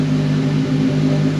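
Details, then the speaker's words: Ford Focus WRC project car, first start after 4+ years off the road on a booster pack: smooth, steady four-cylinder hum with even firing, no knocks or misses; some sensors possibly still disconnected. "still got obviously because of all the wiring there could be some sensors still disconnected we've got to go over it but this is basically we've just got it running"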